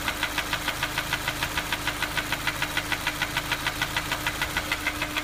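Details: Honda S2000 at idle: sharp even tapping about three times a second, unchanged after replacing the cam chain tensioner and many checks (bearings, valves, cams, timing, compression, injectors, valve gaps); source unknown.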